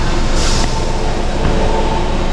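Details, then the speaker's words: Chevrolet Sonic with a P0300 misfire code, reduced-power message and poor acceleration after an engine wash; water removed from the spark plug well and plug cleaned. Restarted, it no longer shakes: a smooth, steady idle, and the scan tool then shows zero misfires on cylinders 1–3. Normal idle. "Ya no está temblando el motor para nada o sea se siente bastante estable"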